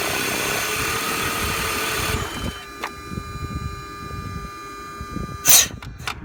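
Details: BMW E46 with new ICV, MAF, intake boot and DISA: loud steady hiss over a rough idle dropping to about 400 rpm, then fading; big unmetered air/vacuum leak, location unknown, car also consuming much oil.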